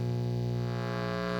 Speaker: Now that we've identified that this is a Ground Loop Hum How do you get rid of it?